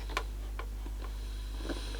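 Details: Aiwa CSD-EX10 boombox with a Tanashin TN-21Z cassette mechanism: sharp clicks about every half second over a low hum from the autostop lever chattering.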